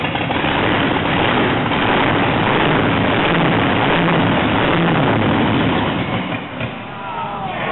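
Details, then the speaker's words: Blown gas big-block Chevy on a test stand, 6-71 blower with Enderle mechanical fuel injection: loud, deep rumble rising and falling about three times a second in a choppy lope; normal lopey idle. "so it's not going to idle roll smooth it's going to be just like a race car it's going to rock and roll"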